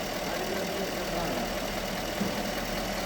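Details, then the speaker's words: 2015 Mercedes-Benz GLE 500 V8 after repair of cylinder 5 misfire caused by a leaking valve and low compression: smooth, even idle with no stumble or skipped beats. "النتيجه النهائيه والحمد لله ماكينه صافيه الامور طبيعيه ولله الحمد"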